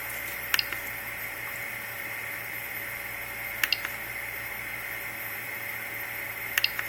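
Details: Replikeo Prusa i3 3D printer, Z-axis motors driven manually from the LCD, unloaded, on Replikeo-supplied Marlin firmware with no calibration, motors not hot: a steady high whine with sharp double clicks about every three seconds, moving sporadically while other axes step smoothly.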